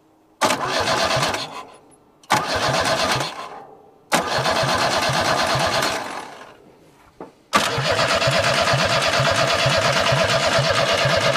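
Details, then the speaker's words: Abandoned junkyard Chevy S10 cranking: three bursts of steady cranking near three beats a second that never catch, then a longer crank; injector spraying fuel, engine tries to fire only when key is released, same when jumped at starter; suspected ignition-switch fault. "it is spraying fuel but when you let off of the key is when it tries to hit H yeah this thing will hit when you let off the key"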